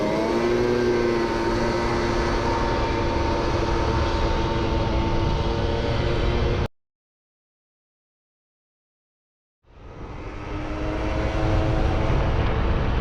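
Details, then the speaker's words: Small two-stroke research scooter running under load after a change that made no difference; steady drone that cuts out dead and struggles back up; intermittent cutting-out misfire later traced to the CDI ignition unit. "Lähes yhtä huonoa mitä aiemminkin elikkä ei vaikuta."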